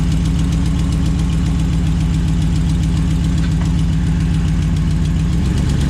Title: Rattling Noise RAM1500 2011